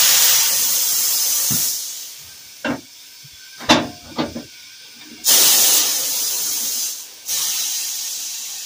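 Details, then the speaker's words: Pneumatic tire machine being repaired after its valve had been blowing air and not working, air turned on, pedal tested: loud air hiss bursts and sharp clunks as bead breaker cycles, breaking an old bead; now working normally. "Hell yeah. Tire machine. Sounds like the tire machine is working. We're back in order."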